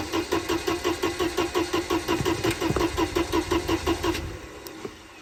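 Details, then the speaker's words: Mercedes-Benz 190E on its first start attempt after about 7 years unused, with old, foul-smelling gasoline. The starter turns over in even pulses for about four seconds with no firing: cranks but no start. "Well, nothing really happens."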